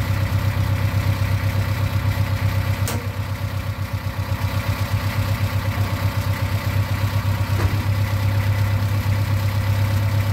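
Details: 1995 Plymouth Neon after Motor Medic motor flush for rockers not pumping up; even light ticking at idle, quieter than before, still sounds slightly down on one cylinder, owner suspects lower compression.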